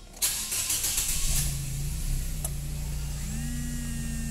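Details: Nissan Grand Livina that died when the oil filler cap was opened, after repairing a leaking valve cover plate letting intake vacuum draw oil vapor bypassing the PCV: starter whirs, engine catches, settles into steady even idle without stalling; problem resolved.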